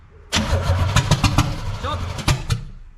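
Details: First start attempt on a recently bought 1966 Corvette Stingray 327, choke closed by hand: uneven cranking with irregular puffs that never catch. All plugs fire; owner suspects plug wires off one distributor place (timing), later moved.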